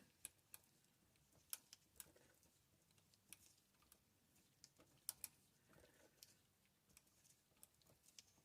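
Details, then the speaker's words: LBSC Caterpillar 2.5" gauge loco steam-oil lubricator after fixing its actuating rod and lever: crisp clicks in pairs as it's turned over by hand in a quiet room; ratchet now taking a proper two-click stroke. "as I turn it over if you listen carefully you can hear two clicks two clicks"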